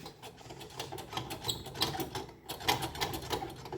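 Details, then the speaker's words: 2017 Polaris Ranger XP 900 with 2-inch lift kit and wheel spacers, rear wheel rocked by hand: uneven metallic clicks and clunks about three a second showing play from a bad wheel bearing. "Yeah. Yeah, that ain't right."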